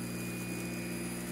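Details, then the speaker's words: 1908 Spencer Turbine central vacuum repulsion-start induction motor, about 115 years old, running uncoupled from the impeller after reassembly with new bearings: steady even hum with constant high whine, no knocking; much quieter, healthy motor (vibration later traced to unbalanced impellers). "now reassembled with new bearings you can hear how much quieter the motor"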